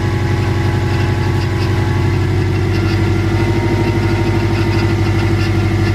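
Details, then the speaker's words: Subaru Legacy GT just after engine reinstall, first start: steady, slightly uneven idle with faint chirpy whir; owner suspects loose AC belt making the noise, needs tightening. "i'm pretty sure this ac belt is loose and that's what's making that noise i need to tighten that up"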